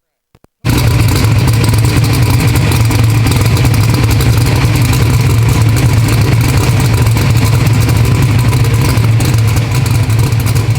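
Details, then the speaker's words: Bad Apple V8 drag car strapped to a hub dyno for a baseline pull: loud engine strains hard under load, holding low and heavy with little climb in revs; good-running motor but torque converter too tight. "but hey converter i think it's a little bit too tight don't you think it's a little snug little snug"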